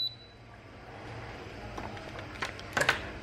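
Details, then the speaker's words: Sevilla SV-212II induction cooktop, display on but not heating: key beep then sharp relay clicks with no heating hum; coil works, suspected burnt relay contacts or cracked solder joint, unconfirmed. "Đấy tạch chả có cái gì cả luôn các bạn có thể nghe được tiếng tiếng kêu tạch tạch"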